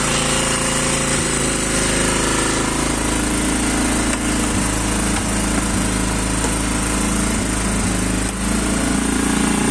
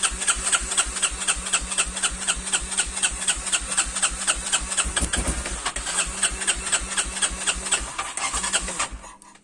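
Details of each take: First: Quad single-cylinder engine just started cold: loud fast chatter held at raised revs, uneven beat with occasional stumbles; idle too high and running rough, cause unknown to owner. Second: Quad single-cylinder engine cold idle: even thumping about four beats a second, clean with no misses; runs fairly well though idle slightly high.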